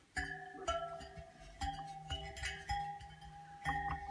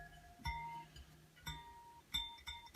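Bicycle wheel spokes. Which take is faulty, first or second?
second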